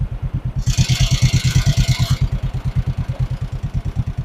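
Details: 1958 John Deere 420W, 12-volt converted, abandoned over 35 years, with new battery: steady even chuffing about three beats a second, smooth and regular with no knocks; healthy idle.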